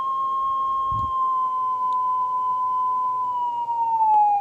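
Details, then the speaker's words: Stern tape recorder, speed adjustment with a test tape: a clean tone near 1 kHz slides as the speed trimmer is turned, dropping to about 600 Hz when slow and rising to 1.2 kHz when fast; tape speed incorrect. "you can hear by addressing this the frequency changes and you can see that the entire assembly is actually running much slower"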